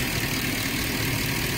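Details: 2009 Ford 5.4 V8 with idle rpm too high and stalling while driving, no codes: fast busy idle that should settle lower, with a hissy airy edge; high idle from a dirty throttle body.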